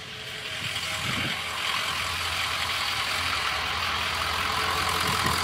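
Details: 2003 Ford F350 6.0 diesel that started then ran rough and stalled from combustion gases in the fuel; after replacing the number one injector it idles with steady clatter, no misses, stumbles or stalling; running normally.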